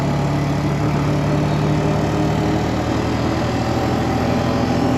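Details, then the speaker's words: 2003 Honda Rancher 350ES after repair (solenoid suspected, axles replaced), riding up through third gear: steady, even engine drone with no front-end clicking or clunking; runs and drives well. "runs really good uh maybe I'll take her on a quick ride here for you"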